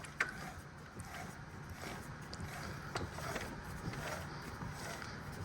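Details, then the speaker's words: Rebuilt Honda S2000 differential with the stock LSD and 4.30 ratio for a stage 2 build, turned by hand with no lubrication in a quiet shop: a quiet, even whir with no clunks, grinding or rough spots; a healthy, smooth gear set. "That's nice. Very smooth, very quiet."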